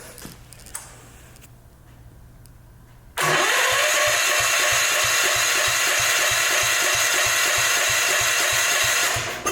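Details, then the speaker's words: Old Gravely cranking at an even beat, about 150 a minute, after the breaker points were scratched clean, but still no fire. The owner wonders if the coil is bad and checks whether the points close fully; dirty points are suspected. "still no fire I wonder if that coil is bad let's see if these points are closing all the way"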